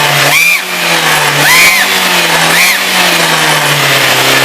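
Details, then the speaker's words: VW Gol G3 engine revved: hissy, raspy sound with chirps that swell with each blip, air spitting at the joint where the exhaust leaves the manifold; leaking exhaust manifold gasket. "dá uma aceleradinha Ó faz um barulho horrível aqui ó na junta onde sai do coletor de"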